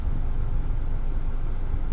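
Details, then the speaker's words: 2016 Hyundai Elantra, 89K miles, idling: steady low hum with no knocks, ticks or surging; auction flagged motor noise and idle vibration, but it sounds and feels like a normal running engine. "really is anything that's odd or different or needs to be called out, I guess. Um, it just feels like a running car to me."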